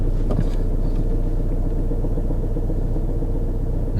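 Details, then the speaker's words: 2013 Vauxhall Insignia diesel, 120,000 miles, at idle: a heavy, lumpy, tractor-like low rumble with no clear knock, from clutch and flywheel vibration; the owner first hoped it was worn engine mounts. "I wonder if it's just could be if I'm lucky it could just be the engine mounts if they're shot that could be whites vibrating excessively"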